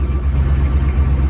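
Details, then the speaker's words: Ford F350 idling after a transmission swap and new U-joint, warming up with fluid on the dipstick: deep, steady low rumble with no ticks, knocks or whine; normal idle. "They said let it warm up. Make sure we had some fluids touching the dipstick, which we did. No funky noises. Nothing crazy funky."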